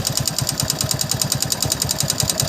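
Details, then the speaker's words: Hero Passion Plus single-cylinder motorcycle, noise louder under load and faint when slowed: fast, sharp metallic ticking, roughly ten a second, over the idle; excessive tappet clearance needing adjustment, piston also to be checked. "मेरे को slow करो तो थोड़ा हल्का से आवाज आता है जब लोडिंग पड़ता है जब लोडिंग पड़ता है तभी भी आवाज आता है"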